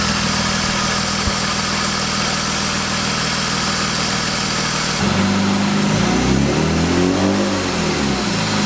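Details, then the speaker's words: 1998 BMW 328is E36 drift car, high mileage, muffler delete, cold start after weeks sitting, microphone at the engine: light quick ticking about three per second at idle, faint whine from a leaking power steering pump; suspected lifter tick. "ear that or not but it's definitely got a little tick somewhere in there it does have a muffler delete on the car so just a little bit loud"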